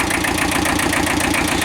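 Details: Kubota L Series (mid-1970s) diesel tractor, after internal oil leak repair: even, quick clatter at steady idle, no misses or extra knocks; normal idle.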